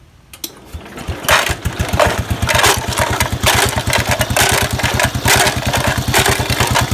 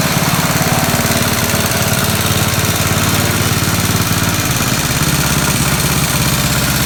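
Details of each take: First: 1969 Locke reel mower single-cylinder engine, running to shake nuts and bolts inside the gas tank for cleaning: catches after a couple pulls and settles into a fast, hard putter with no dip; engine running too fast. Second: 1969 Locke reel mower single-cylinder engine, freebie that sat in a barn, running after carburetor work, not fully tuned, still drips a little; loud steady chatter at even speed without stumbling or surging. Normal running.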